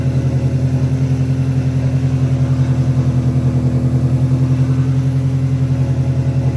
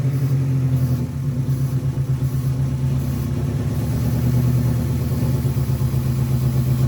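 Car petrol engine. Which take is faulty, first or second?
second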